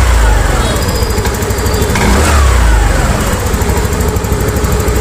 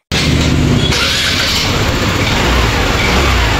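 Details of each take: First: TVS Jupiter 110cc BS6 scooter: lumpy running with uneven beats near three per second, then it abruptly dies, cutting out while moving and when hot; wiring, earth and battery checked fine, and the fault was the spark plug. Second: TVS Jupiter 110 cc BS6 scooter with rat-chewed wiring repaired and a new spark plug fitted: a strong, even engine note with no stumbles or cut-outs as it revs. The misfire and cut-off are cured.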